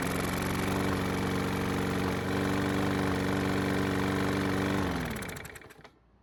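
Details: Mower engine that wouldn't start after winter, primed with fresh gasoline: single cylinder catches and holds a steady, even beat, then winds down cleanly at shutdown; running normally now.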